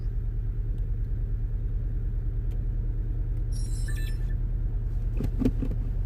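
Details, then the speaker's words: 2010 VW Golf GTI petrol on a cold start: a lumpy, uneven idle from a definite misfire, more noticeable when cold. The engine light was flashing, sometimes with the EPC light. "obviously this is the cold start so it's a little bit more it is a little bit more noticeable but it's definitely misfiring"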